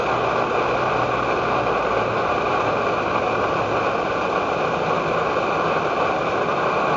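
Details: Edward Hexon backpacking stove on white gas (Coleman fuel), syringe-fed in place of its pump, bringing 500 ml of water to a boil: constant hissing roar with no sputter or surging, holding level; burner running steadily at full output.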